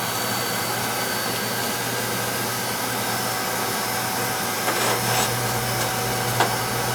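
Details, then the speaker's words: Oil-fired lowboy rear-flue furnace during annual service, TT jumped out: steady, even burner roar over a low hum with no pulsing or sputtering. Draft over the fire is good; firing cleanly and well fed with oil. "So when we turn it on, it should fire right up. It fires up."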